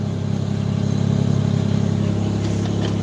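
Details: Ford Ranger 4.0 pushrod V6, five-speed in neutral, 128,000 miles, older weak battery: deep, even idle with a smooth steady rhythm and no knocks or misses; a healthy-running engine.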